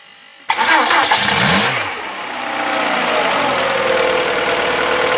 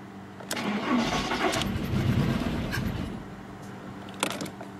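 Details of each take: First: VW Polo that had a coolant leak and would not start, just after replacing the ignition leads and all four spark plugs: short crank, instant fire, a blip, then a smooth even idle before warming toward 90 °C. Normal start and idle. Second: VW Polo with a coolant leak that had refused to start, after spark plugs were checked and refitted: uneven cranking that catches briefly, stumbles and dies, firing irregularly. Runs slightly better, but one spark plug lead is suspected dead, causing a misfire.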